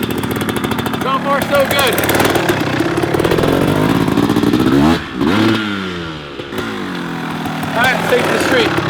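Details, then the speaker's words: Rebuilt 1994 Kawasaki KX250 two-stroke after its third heat-cycle run: crisp revs climbing and falling cleanly without stumbling; transmission shifts smoothly, power good, engine sounds healthy. "the transmission is shifting smooth like butter as much as i can tell without beating on it has the power engine sounds good and healthy"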